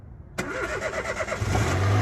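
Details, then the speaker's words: Peugeot 107 that sat unused over a year, started on jump leads: a short crank, then it catches instantly on the first turn of the key and settles into a steady idle without stumbling. Normal cold start. "please how reliable is that it's been sat for all that time and first flick of the keys"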